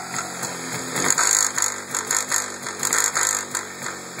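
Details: MZ ETZ 251 two-stroke dropping from high rpm to idle with an uneven, rattly metallic clatter; noise present for 5 years since purchase, engine otherwise good on long trips, cause unknown.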